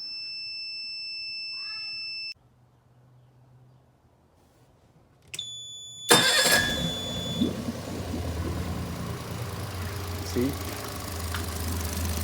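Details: Suzuki 30hp outboard with a no-start fault traced to the neutral safety switch not engaging when shifting from forward to neutral (detent ball/spring suspected); warning beeps, then it starts first try and runs steadily.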